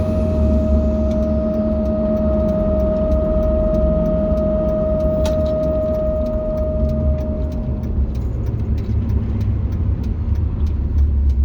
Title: 05 Cummins Humming/Squealing Noise